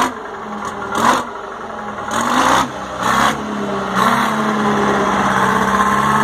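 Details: 1960 Detroit 4-71 two-stroke diesel, ex-generator engine said to have only test hours: blipped four times, picking up cleanly each time, then settling to a steady, even idle; owner notes a little smoke at low rpm.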